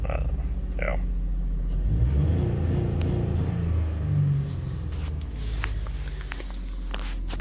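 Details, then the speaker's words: 2005 Honda Odyssey with codes for EGR, variable cylinder management stuck on/solenoid, evap and misfires; deep rumble climbs only slowly and slightly on throttle then sags, cabin shakes in reverse; sluggish throttle response. "I've got no throttle response very slow so I don't know what's going on there a lot of shaking in the cabin in Reverse [Music] so low throttle response"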